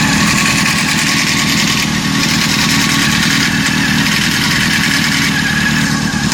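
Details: Honda CBR 600 F4 fast busy idle with a constant metallic rattle and chatter; owner suspects timing chain noise, not confirmed.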